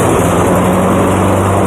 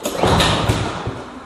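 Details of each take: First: Cub Cadet lawnmower running with wheels lifted to test the drive, still on old dirty air filter causing slight smoke: steady, even engine note at constant speed, no misses or knocks, then clean shutdown; runs properly. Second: Cub Cadet lawn mower that won't start, pull-start with a weak recoil spring; a few firing thumps on the pull, then it dies — engine kicks but fails to start.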